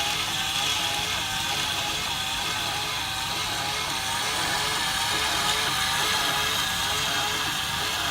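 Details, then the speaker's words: IDES One Touch Barista espresso and cappuccino capsule machine with two boilers, making a latte: a steady, high buzzing whir with a quick, even pulse as the milk pump draws milk, heated in the boiler, into the cup; normal operation. "And pretty much the only sound you can hear is the pumping up the milk to put it into the cup. And if you want it, this milk actually heats within the boiler."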